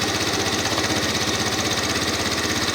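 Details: Salvage Yamaha Zuma 125 scooter, direct drive, idling just after first start following fresh petrol and charged battery: small single with even quick putter and steady beat, no knocks or misses; sounds healthy.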